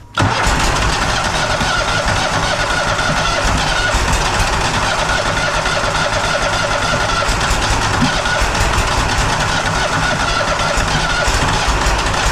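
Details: Walker Superbee 52 in rear-discharge mower, parked since April, on jumper pack after dead battery: long rough churning as the engine turns over and only half catches while priming fuel; hard starting, likely fuel starvation, with ignition also suspected.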